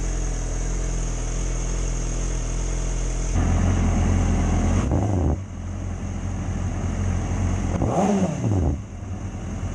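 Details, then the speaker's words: 2006+ Yamaha R6 idling steadily with an even low burble and no stumbling, after the fix for dying at idle below about 160–170°F; it now idles well. "Idling pretty dang good."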